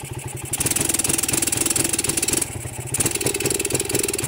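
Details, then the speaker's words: Suzuki Satria with Denso-type CDI, revved with the battery disconnected: engine stutters and pops unevenly and won't take throttle, though with the battery fitted it revs full to the limiter. "Cuman kalau kita lepas baterainya tanpa baterai, motornya tidak mau digas dan seperti berbet parah banget ya."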